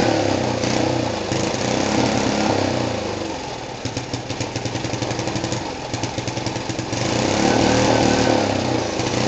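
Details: Rebuilt small single-cylinder go-kart engine on its first start after the rebuild: it revs up and down, then drops to an even, steady idle with clean, regular firing. Normal running.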